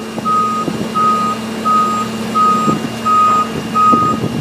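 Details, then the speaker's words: 50-ton rig setup with the truck running: steady mid-pitched beeps about every 0.75 s from an added latch sensor buzzer warning that the mast is out of its latch and not safe to run. The beeping stops once latched. "using here is of a sensor that we installed to identify that the the latch is not in a a current position to run the rig"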